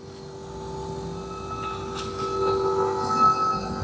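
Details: 2001 Dodge Ram diesel with gauges going crazy and "no bus" showing, key on: steady high whine outside the cab that swells slightly; owner unsure whether it is normal, source unclear.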